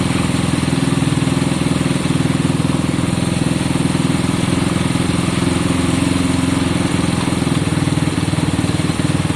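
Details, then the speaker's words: Honda CB200 idling just after first start-up, left running to circulate oil. Steady, even idle with a quick, regular beat, no knocks or misses. Smoke is from a lot of two-stroke oil put down. Sounds healthy, normal idle. "So guys, we think it's sounding great. Now, be wary that there is smoke coming out at the moment. I put a lot of two-stroke down, remember?"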